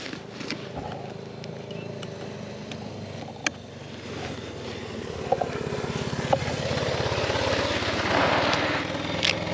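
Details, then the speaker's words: Suzuki DR650 single-cylinder thumping along on a dirt road during an adventure ride, with sharp pops every few seconds; the bike suddenly started backfiring despite having fuel, owner suspects a fuel issue, and it begins losing power. "Yeah, the bike's backfiring all of a sudden. I just wanted to check and see if I had gas. I've got gas. So that's bizarre. Why would the bike backfire? Some fuel issue?"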